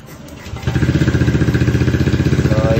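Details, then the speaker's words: Unit started with the key after ECU repair; a DCS scan connector showed no check-engine codes once stored codes were cleared. Brief crank, then it catches and settles into an even, steady idle, starting and running cleanly. "yun mga lods, nakasamba tayo. Umanda na yung unit ni busing natin."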